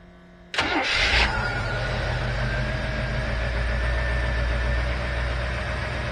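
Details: 1968 Rolls-Royce Silver Shadow convertible with a replacement Chevy 350 V8, fitted after the previous 350's block cracked: quick crank, fires at once, settles into a steady, even V8 idle rumble with no knocks or misses.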